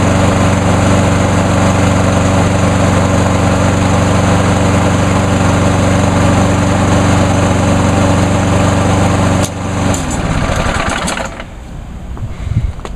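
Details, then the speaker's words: Pull-start mower engine, last run about two hours earlier, after VP Small Engine Fix-It fuel circulated through the fuel lines and carburetor: even, steady buzz for about ten seconds, then shut off; no hunting or missing, runs smoother. "actually it does seem to run a bit smoother now"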